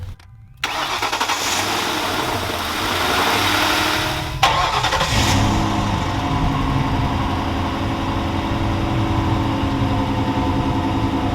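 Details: 2005 Lincoln Town Car, first start after fitting a new battery. Short crank, then it catches cleanly, revs briefly and drops into a smooth, steady idle with no misfire or stumble.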